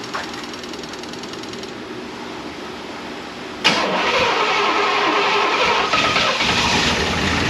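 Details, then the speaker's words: 1988 Chevrolet Monte Carlo SS V8 sitting since the 1990s, run off a fuel jug: rough running with a light, fast, fairly regular ticking about 200 a minute over the engine note; noisy lifters, hoped to quiet down. "Hopefully, these lifters quiet down cuz uh they've been raising cane."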